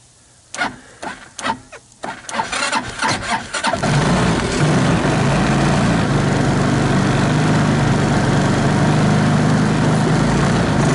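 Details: 2014 Linhai Big Horn 400 UTV after a portable 12V CDI ignition, a plug change and harness rework; a few quick cranking bursts, then the single catches and settles into a steady thumping idle.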